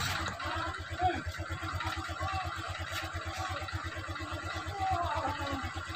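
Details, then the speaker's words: Honda Click 125 scooter after replacing the torque drive bearing: an even, fast low putter with no grinding or rumble from the drive. The noise is gone and it runs smoothly. "Yun ang kanyang ingay ay nawawala na mga kamotor."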